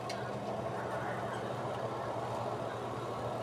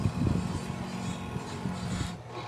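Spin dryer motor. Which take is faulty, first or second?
second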